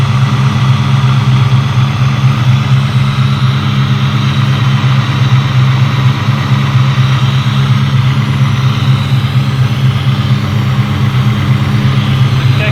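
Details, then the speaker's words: 2003-2004 Mustang Cobra V8 with a Gen 5 Whipple supercharger at first start-up after fuel-system problems: deep, even idle with a steady, smooth rumble and no stumbles; no leaks, sounds great. "we've got these up and running she fired up it sounds great"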